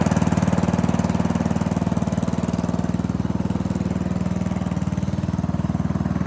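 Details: Old Murray riding mower with a 12 hp Briggs & Stratton engine, cold start after the fuel is turned on: steady, even low thumping at constant speed with no misses or knocks, running healthy; runs, rides and cuts well.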